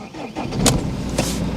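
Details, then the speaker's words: BMW E46 320d Touring diesel, restarted straight after switching off, with glow plugs cycled: fires almost instantly without the earlier long cranking, then holds a steady low idle. Cause of the previous long cranking is still unknown. Normal quick start. "And it just fires straight up again. This is so bizarre."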